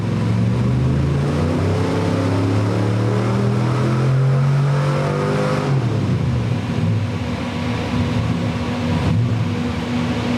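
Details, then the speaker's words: 383 small block Chevy V8 with carburettor, timing set, likely needing smaller jets, during a pull: deep V8 under load sounds rough and uneven, stumbling rather than climbing cleanly; running poorly under load, cause unconfirmed. "That is running particularly poorly. right there."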